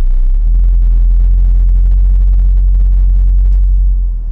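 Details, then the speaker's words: VW Golf R Mk7 with DSG, wrong dogbone engine mount insert installed, driving up the driveway under load: heavy steady low droning boom in the cabin, worst-case vibration; excess drivetrain vibration from stiffened engine mount. "all right here's the going up the driveway test so that you guys can hear the worst of the vibration this is as bad as it's going to be"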